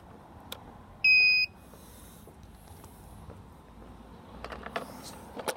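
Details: UPAir One Plus 4K drone: a single sharp high beep under half a second, then only faint handling noise. The motors never spin up; cause unknown.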